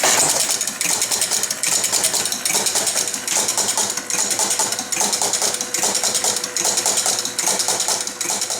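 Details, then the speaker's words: Chicago Coin Blue Max electro-mechanical pinball, non-functional: on game start the score motor spins continuously with clatter bursts about 73 a minute; score wheels run but don't all zero, so reset never completes; some wheels sticking, one dead. "So our starting point on this is when we initiate a game, our score motor just spins, score wheels run, but they don't all zero."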